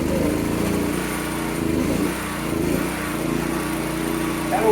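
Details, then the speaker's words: Kawasaki GA1400 suitcase generator, cold start (muffler stone cold): it started on the first pull with choke on, then choke off, and settles into a light, even hum with a smooth beat. Running properly. "So let me give her a couple of pulls here. Oh, look at that. One pull, turn the choke off."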